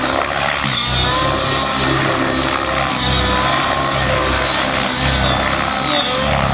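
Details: Nitro RC helicopter engine, warmed up for about 2.5 minutes after the high-speed needle was richened because it ran lean: smooth steady buzz, rotor whirring evenly, no sag or sputter; runs clean and happy.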